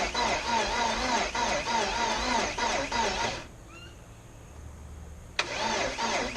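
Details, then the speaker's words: 1984 Porsche 944 after timing belt failure and bent valves, first start attempt in 2.5 years, fuel pump not clearly heard: sluggish, even cranking about three beats a second, no firing or major clattering; slow crank, no start, possibly out of fuel. "I didn't hear any like really major clattering but it's cranking really slow so let me see what I can do here"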